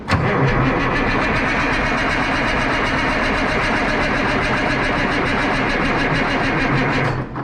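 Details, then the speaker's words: 1963 Diamond T 931-CN cabover diesel semi, unstarted one to two years, batteries only briefly charged: starter turns the engine slowly, about three and a half chugs a second for seven seconds without firing; weak batteries. "i need more battery hang on around here"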